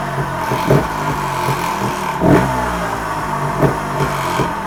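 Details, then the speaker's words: TRS 300 RR motorcycle: sharp metallic clatter flaring on each throttle blip. The rattle is a loose or fallen-out sump bolt vibrating, not the flywheel as first feared. "ha I just realized what it is the bolt right it sounds like the bolt for sump has fell out again and that's what that noise is it's vibrating and there's me thinking it's coming from inside fly wheel"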